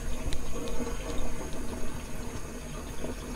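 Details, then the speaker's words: Newly installed Saniflo Sanivite drain pump, first test run, microphone placed near unit: low soft hum under rushing drain water, no grinding or rattling, runs about 2 seconds per cycle without moving, quiet and normal. "Yeah, that's a lot quieter than it is. Mm-hmm. Doesn't really move around too much, it's nice and quiet. Runs for about 2 seconds a piece right now."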